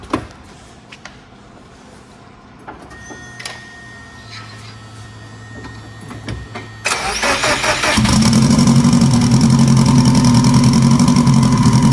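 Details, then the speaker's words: Scarlet, four-cylinder, after sitting, sequential transmission refit: choppy, lumpy idle with uneven beat; number four cylinder not firing (unplugging it changed nothing), suspected stuck injector to be removed and tapped free. "well number four not firing at all i unplugged number four there was no change you can hear how rough it's choppy it's not smooth so it's only running on three cylinders right now which really sucks"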